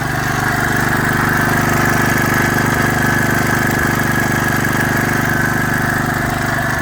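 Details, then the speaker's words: Rebuilt Kohler K91 single-cylinder engine with leaking head gasket: steady strong run with faint quick ticking on top; owner thinks the tick might be valve lash; otherwise runs good. "And you can hear there's a little bit of a tick. I think that might be the valve lash. But in general, I mean, this thing runs good."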